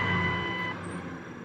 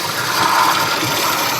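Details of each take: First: 2000 Ford Expedition 4.6 with 305,000 miles, idling after replacing a bad idler pulley that caused a high-pitched whirling squeal: steady even hum, no squeal or chirp, normal idle. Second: 2000 Ford Expedition 4.6 V8 running: steady gritty rushing whir that misleadingly seemed to come from elsewhere; earlier described as high-pitched squeal and slip noise, getting worse. Traced to the regular idler pulley (not the tensioner), its bearing worn.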